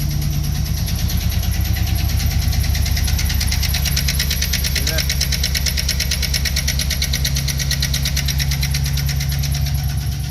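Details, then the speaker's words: Chevrolet 5.3 L V8 truck idling before repair: even idle with a light, quick tick riding on top that follows engine speed; the ticking is a lifter that is collapsed, not working or worn out, to be replaced. "ticking sound is a lifter it's either collapsed or um not working or worn out"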